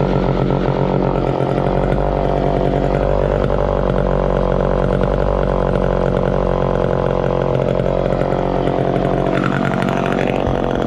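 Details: 1969 Homelite EZ Automatic chainsaw running after 20 years in storage: steady, even two-stroke buzz holding speed without stumbling or misfiring; running healthy.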